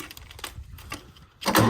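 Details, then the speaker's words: Mid-1980s Kubota B7200 3-cylinder diesel subcompact tractor, about 15 degrees ambient: slow uneven cranking over a second, then catches to rough loud run; hard cold start, owner suspects a bad glow plug or gelled fuel. "Oh, hey, she started. Let's see if we can bump her up just a little here. We may have lost some of our heat."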